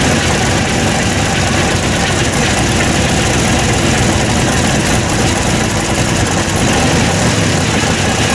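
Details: Loud, raspy but steady V8 idle with even rumble, no misses or knocks; open headers fitted with homemade baffles, testing how much quieter it is; running normally.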